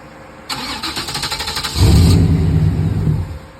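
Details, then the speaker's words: 1995 Camaro Z28 after an AC and heater box delete, with no dash. Quick cranking ticks for about a second, then the engine catches with a low rumble and dies within two seconds. "From the last video, as you can see, the car wouldn't stay running after the AC delete for some reason."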